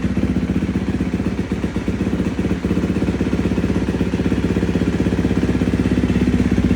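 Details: 2016 KTM 350 SX-F four-stroke after top-end rebuild, running after a worn, slipping starter torque limiter gear was replaced to fix crank/no start: even, steady single-cylinder thump at about four beats a second, no misses or clatter; runs cleanly.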